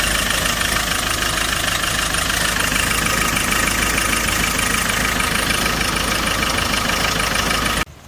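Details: Hyundai Porter 2 diesel idling with a harsh, rattly knock about four times a second, plus engine vibration, white smoke and blow-by, from a leaking fuel injector washer/seal.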